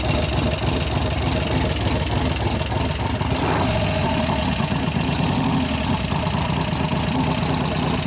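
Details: 1988 Harley-Davidson FXR V-twin after lifter-noise repair with pushrod adjustment and cam change: steady, even idle holding one speed with no ticking or clatter from the valvetrain; sounds healthy.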